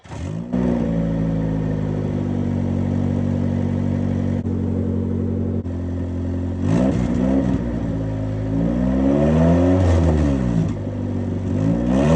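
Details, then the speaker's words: Lowered ES1 Honda Civic after welding new exhaust piping: loud, raspy drone swelling with revs through several throttle blips, some smoke; exhaust still loud and annoying. "it's still pretty loud but I haven't exhaust this sounds annoying"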